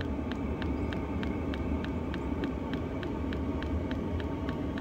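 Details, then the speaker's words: VEVOR 8kW 12V all-in-one diesel air heater, first run with cover off: steady low rumble with crisp pump ticking about three per second, exhaust louder and faster, airflow warmer and stronger; normal warm-up. "exhaust is getting a little bit louder and faster the air coming out of here is getting warmer and stronger and stronger"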